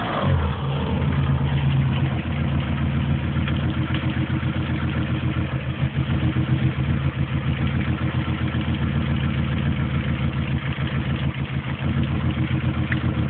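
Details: Opel Tigra engine at idle and light revs: steady low rumble with an uneven clattery pulse. Abnormal engine noise, cause unclear.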